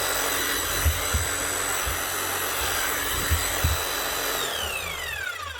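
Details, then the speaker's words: Hammer after fitting a new armature, bearing and seal: motor spins up to a steady clean whine without rattles or grinding and winds down smoothly, sounding like a new hammer. "Nothing wrong with that. Sounds smooth and like a new hammer."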